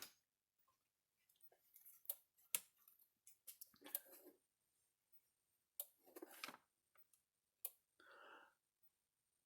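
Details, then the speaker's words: Gallagher Solar S100 portable fence energizer, 1 joule, after repair: sharp dry clicks about every one to two seconds with handling noise, normal daytime pulse before the light sensor is covered to trigger slower night mode. "Okay, kind of hear it clicking along there every second or two."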